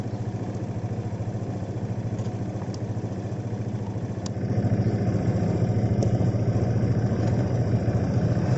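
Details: Honda PCX 150 scooter idling after a dead-battery no-start was fixed: a steady low putter at a quick even beat, slightly louder in the second half, with no knocks or misses; normal idle.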